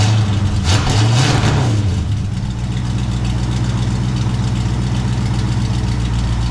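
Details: 1974 International pickup just refitted with new exhaust (muffler cut off, pipe added), first start: engine rumbles up then settles into a smooth, deep, steady idle through glasspacks, no knock or miss; doesn't sound horrible.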